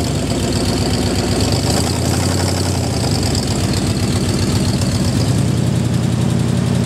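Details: Jeep M715 army truck converted from fuel injection to carburetor, running after years unused: deep, even low rumble at steady idle, no misses or rattles; normal idle.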